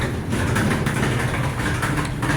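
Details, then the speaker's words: Roughly 10-year-old gas Kenmore dryer: loud, steady low rumble with a rough, rocky rattle as the drum turns, like rocks dumped inside; worn drum support rollers (wheels), to be replaced with a roller, belt and tensioner kit. "You'll hear that loud noise. So we're going to replace the wheels."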